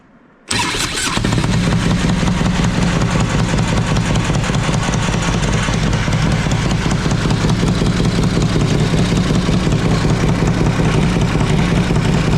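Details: 2005 Harley-Davidson Road Glide after new lifters and pushrods: fires up on compression releases into a lumpy idle with a faint quick tick. Owner suspects the pushrods need about half a turn more adjustment, not yet done. Valvetrain tick.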